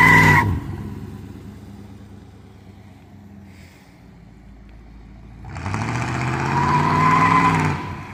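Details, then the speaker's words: 1985 Pontiac Parisienne Brougham small-block while driving: high-pitched bird-like chirp, likened to budgies or parakeets, rides over the engine and swells as it revs; source unknown. "Sounds like budgies or parakeets are stuck in there. Can't even tell it's there."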